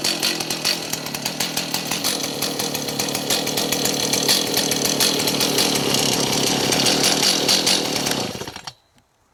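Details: Stihl MS290 two-stroke chainsaw after fuel line replacement for gas leak: revving and running strong, crisp steady buzz for eight seconds before cutting off; runs normally, no leaks.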